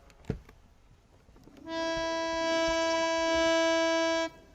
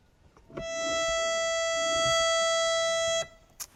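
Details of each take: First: Harmonium lower-octave reed played alone after tuning its upper-octave pair: steady tone about 2.5 seconds, clean but slightly low; reed is flat. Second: so when we play the two notes together they should sound not wobbly inshallah or unmute the first one we tuned listen to them coupled sounds good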